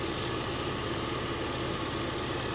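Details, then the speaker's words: 2004 BMW Z4 2.5i straight six, engine bay: steady, even idle with a smooth hum and no knocks, misses or ticks; no leaks or smoke, green coolant, sounds great; normal idle. "she sounds great this would be a great car to buy"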